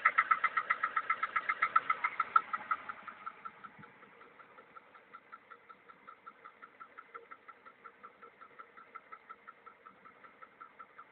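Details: VAZ 2103 engine at idle; sharp metallic knock about four times a second, louder at first then fainter as revs settle, source unknown, owner unsure if normal: engine knock.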